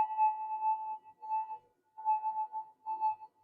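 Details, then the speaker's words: SD2000 metal detector after its positive voltage supply was replaced with a redesigned power supply, running with volume turned up: a steady mid-pitched tone fades in and out over near silence, with no crackle or chatter. This is a normal, quiet threshold. "but that's the detector running at the moment you can probably hear it um I'll just turn the volume up just in case you can't"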